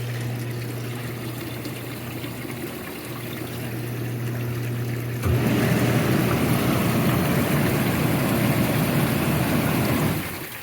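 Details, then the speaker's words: Jacuzzi hot tub that trips its breaker, heater disconnected: steady low hum of the small circulation pump with rushing water, running evenly without tripping. The heater was later found leaking and needs replacing. "yeah I think I hear the pump going we'll take a look the tub is on a little cir pump you can barely hear it"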